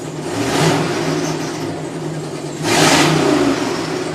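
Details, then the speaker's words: 2003 Yukon with no check engine light on; two quick revs a few seconds apart give a raspy, uneven exhaust note over the idle; owner can't identify the strange exhaust noise, cause not pinned down. "So this is my 2003 Yukon. It is making a strange sound."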